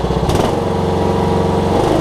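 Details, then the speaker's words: Cub Cadet riding mower with a Kohler Courage single-cylinder engine after a carburetor kit fixed a leaky carb: smooth, steady running with a brief rev; possibly some initial smoke from leaked fuel in the muffler; normal running. "But we got gas in it, it's holding fine now, so let me crank it up. Best running Kohlers I think I've ever seen. My goodness."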